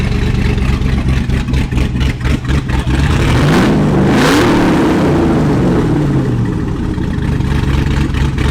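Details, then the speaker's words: C6 Corvette Z06 with Texas Speed heads and cam, after engine work: choppy, loping big-cam idle, a clean rev up and back down, then settling into the same steady lope; running normally. "that's the little floppy cam yeah back up and running all right so she's back up she's running"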